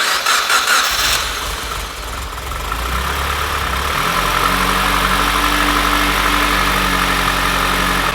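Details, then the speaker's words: Mitsubishi Evolution first start of freshly built engine (forged pistons, rods, ACL bearings, ARP studs) on stock exhaust: brief cranking, then a very quiet, even idle with a steady low hum, running healthy. "I've never heard an Evo so quiet in my life. [Music] This thing needs an exhaust like tonight. It doesn't even sound like a car is running."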